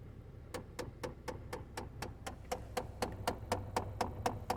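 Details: Chevy HHR AC/heat system: steady light ticking about four times a second from behind the dash; repetitive clicking noise.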